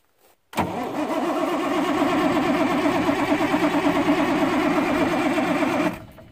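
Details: Freightliner FLD120, 397k miles, first start attempt after sitting 17 years, ether possibly used: steady cranking at roughly three beats per second for about five seconds, then it stops; turns over but slow to catch.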